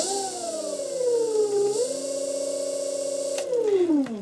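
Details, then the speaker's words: VW/Audi 180A, 2500W alternator run as a motor from a cheap square-wave e-bike controller: loud stacked whine dipping, rising and holding with speed. The noise comes from the square-wave drive; a sine-wave controller would be smoother. "now a lot of that noise is coming from the fact that this controller is a very cheap nasty square wave controller and a square wave going into a motor it doesn't like it would rather have a nice smooth sine wave"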